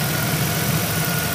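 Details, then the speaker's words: 2001 Monte Carlo SS 3.8L 3800 Series II, running after intake manifold and valve cover gasket replacement, new thermostat and coolant flush: even steady idle with smooth low hum, no knocks, misses or ticks. "other than that sounds pretty good thank you so it looks like this one's a wrap it's good sounds good"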